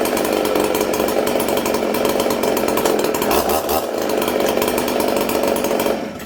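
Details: Ported Husqvarna 266SE chainsaw, chain brake on while throttled 3–4 times: screams at steady high revs, blips even with no clutch rattle or stumble, drops off cleanly; normal high revs.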